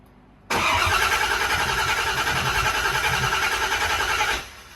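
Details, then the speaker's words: 1992 Porsche 928 GTS 5-speed, first start of a freshly rebuilt, modified GT engine with the battery charged, fuel pressure building: the starter spins evenly for about four seconds but it never fires; crank no-start, cause not confirmed. "Building fuel pressure. What? Building fuel pressure. No, I should start up right away. No. Keep going."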